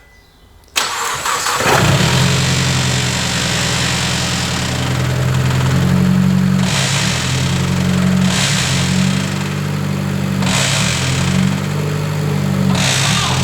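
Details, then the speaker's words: Mitsubishi Evo X rally car, gearbox refilled with 8.5 litres instead of 5.5, still cold in park: engine catches to a fast cold idle with periodic surges and an odd extra driveline note, a weird gearbox noise not heard before; cause unknown. "then it was making a really weird noise as you heard um we've not heard that one before"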